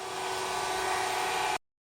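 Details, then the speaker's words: Aldi Easy Home S570 robot vacuum running after teardown and cleaning of hair: steady, even whir with soft hum, earlier loud buzzing gone, no rattle; brushes and motor running cleanly after repair. "So now we know that this thing runs smoothly."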